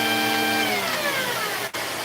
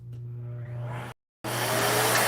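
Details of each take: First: Vacuum running: the motor hum sags in pitch, cuts out for an instant and returns when the wand is pushed forward, showing an intermittent break in the wand's connection. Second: Vacuum tested for no-power fault: suction motor's steady, fairly quiet low hum with even tone, then a brief cutout before a louder rush; motor itself runs smoothly.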